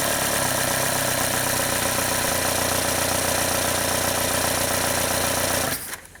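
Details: VW TDI diesel after priming the injection pump and bleeding the injectors: a steady, even idle clatter with no stumble or missing beats from leftover air, then a clean shutoff; it sounds healthy.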